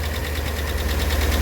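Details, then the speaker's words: 2017 Jeep Grand Cherokee SRT 6.4L Hemi V8 at idle, oil level fine: steady, regular knock about six or seven a second over a deep rumble; engine knocking, motor judged bad and needing replacement. "Problem is, based on that noise, that's the motor knocking. So I think he would have to replace this motor."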